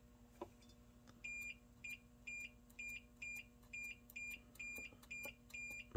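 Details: JVC X'Eye console lid switch, reinstalled on the board after suspected breakage and tested with a multimeter: steady high continuity beeps come and go with each press, about twice a second. Switch closes cleanly.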